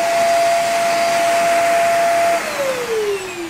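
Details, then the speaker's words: Hoover REACT Professional vacuum, power-head brush motor: steady whine holds a couple of seconds, then sinks lower as the motor cuts out past a certain position; owner suspects a faulty switch in the power head. "now right there it's on but you'll pass that point and it shuts off"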